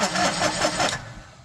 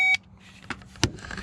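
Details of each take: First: John Deere Gator 850D diesel with no-crank fault, after cleaning transmission neutral safety switch connector and triggering starter relay; starter cranks in quick even pulses about five per second, normal. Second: John Deere Gator 850D diesel with a no-crank fault, starter fed 12 V directly through its small lead with a power probe: short beep, then two sharp dry clicks with no cranking; no such click with the key, so the fault is upstream.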